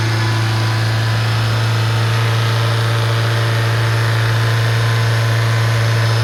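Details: Engine at idle with white exhaust smoke: loud, steady low drone with uneven pulsing underneath. Abnormal engine noise; the cause is not identified.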